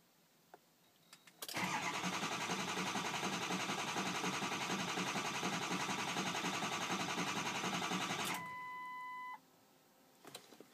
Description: A 2004 ford 6.0 powerstroke diesel that fails to start, hooked to scanner to finds problems.